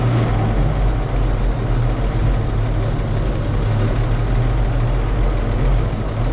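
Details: Barn-find 1931 Oldsmobile F31 after clearing cork pieces, likely from a homemade fuel-bowl gasket, from a fuel pump valve: low, steady idle, even beat, no misses or surging; runs smoothly, fixed.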